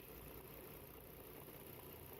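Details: 2011 Volvo XC60 3.2 with misfire codes P0302 and P0304, idling with coil 5 unplugged: dull uneven lumpy rumble as the cylinder drops out, so coil 5 works; unplugging coil 4 gave no change.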